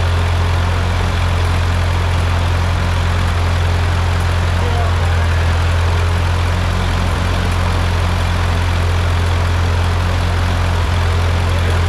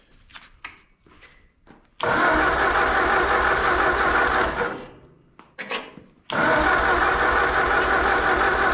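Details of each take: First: Ford 8N tractor engine just rebuilt, first run: steady, even low putter at idle with no knocks or misses; engine runs smooth and healthy. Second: Ford 8N tractor engine on first start after rebuild, with spark plug wire order just sorted: short cranking bursts, rough catches for a second then dying; cranks but won't keep running, flooding suspected, spark timing not yet confirmed.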